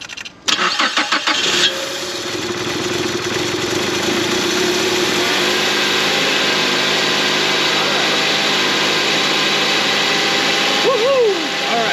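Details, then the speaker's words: 2011 Mazda CX-7, first start after engine replacement, a forgotten sensor plugged in, antifreeze not yet added: starter cranks briefly, engine catches and settles into an even steady idle with no knocks or misses; normal start and idle. "And yeah, this car is finally done, and it sounds like it's running really good for the way that sounded."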